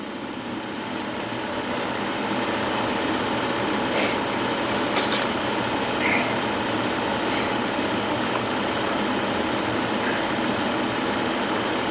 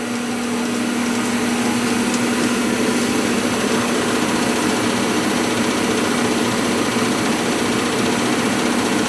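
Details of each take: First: Gas furnace that was not heating, running with no filter and dog hair inside; after a weak start capacitor was replaced, the blower motor gives a steady, even hum with a light whirr and no grinding or rattle. Normal blower motor run. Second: Gas furnace not heating the home; burners fire up, but the owner reported noise and the blower fan below is suspected. Steady droning hum with a fixed low tone over rushing air; the laboured blower fits a weak run capacitor.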